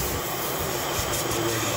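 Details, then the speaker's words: 2015 Chevy Equinox 2.4L with code P0411, secondary air injection system activated by scan tool to open valves and run pump: steady, even rushing hum, no surging or rattle; good airflow, with moisture in it. "let's check on the secondary injection system yeah here we go active inactive so this should open those valves up and run the pump or the yeah activate airflow"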